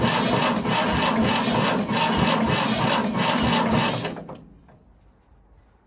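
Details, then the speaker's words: 1950s Fordson Major diesel tractor, first start attempt in about 20 years, cold start button primed: slow, labored cranking at about four compression beats a second that dies away, as the battery is too flat to turn it over. "not got enough in the battery even with the cold start primed she's just not gone enough okay definitely not got enough"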